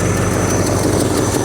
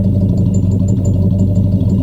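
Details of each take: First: 1967 Ford Galaxie 500 V8, hot, idles loud and rough with a steady airy hiss on top plus a slight tap; a vacuum leak somewhere, location not yet found. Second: 1967 Ford Galaxie 500 V8 on a drive, described as a good-running cruiser: deep, even, steady exhaust rumble with no misses, knocks or rattles at relaxed idle; normal exhaust note.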